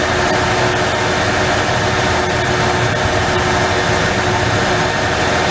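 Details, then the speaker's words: 1994 Ford F-150 4.9L inline-six at idle. Steady idle with a brief stumble every second or two; one cylinder intermittently gets no spark during a 30-second test, giving an intermittent misfire, suspected primary ignition fault. "There's a time during this period, it's a 30-second period, that get no spark. That's your miss."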